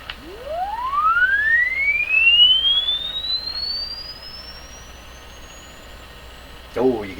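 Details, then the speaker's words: Crosley 12B radio: a rising test tone reaches a thin, clear high whistle once the radio is detuned, showing the radio and speaker can reproduce treble but the alignment is cutting it. "so what that's telling me is that the radio and the speaker has the ability to produce very high tones but the radio itself isn't allowing that to happen because of the way it's aligned in tune"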